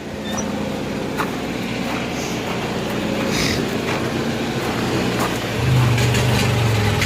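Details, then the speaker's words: 7000-watt Kohler generator in a bus running with no load after its spark plugs were gapped at 30: a fairly steady, even beat with no misses or stumbles, running smoothly. "let's see if it'll run better sounds good sounds working"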